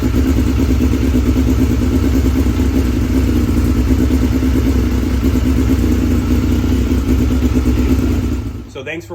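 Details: 2006 Suzuki GSX-R 1000 after fuel pump replacement with Quantum pump, in neutral: strong even four-cylinder beat holds steady through throttle blips then cuts off; starts and runs cleanly.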